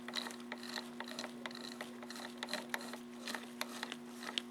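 Light, irregular ticks over a steady low hum as the elevation moves; the mechanism sounds smooth and acceptable now.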